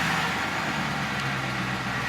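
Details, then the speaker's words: Ford F-450 diesel after being misfuelled with gasoline, fuel replaced and injector cleaner added: low, even rumble holding steady, earlier chugging and screaming gone as injectors clear; now smooth, normal idle. "We're smooth. That's smooth as shit."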